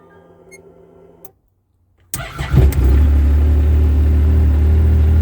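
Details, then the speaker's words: Yamaha RMAX restarted on a new 250 cold-cranking-amp Acoucou sodium-ion battery, owner feels it starts quicker than the stock battery: brief pause, quick crank, fires at once and settles into an even, steady idle; normal start. "I got to say, guys, this thing starts, it seems to start up quicker with the 250 cold cranking amp sodium ion than it did with the with the stock battery."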